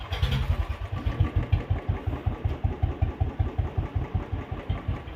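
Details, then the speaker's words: Royal Enfield Standard 350 that died while riding, after a fuse fault was fixed: starts on the first kick and settles into a deep, even, steady single-cylinder idle with no misses; horn and electrics working. "അപ്പൊ ഒറ്റ കിക്കിൽ തന്നെ വണ്ടി start ആയിട്ടുണ്ട് horn കാര്യങ്ങളെല്ലാം നല്ല രീതിക്ക് work ആവുന്നുണ്ട്"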